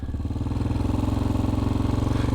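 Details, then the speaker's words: Small single-cylinder bike idling fast at about 3,000 RPM, a rapid steady putter; idle set too high, preferred around 1,600 RPM. "and their idle will sound like this. Alright? That's what their idle sounds like. That's just a little too high for my liking."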